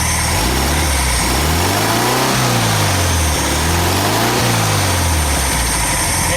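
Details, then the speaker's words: VW Super Beetle air-cooled engine revved during a timing check (should reach 28–30° BTDC): revs unevenly, choking and spitting as it climbs. The timing is not advancing, so the distributor advance is suspected stuck; the plan is to free it with penetrating oil. "not advancing all right we got other problems here we're gonna have to check that and figure out what's going on there something is definitely wrong"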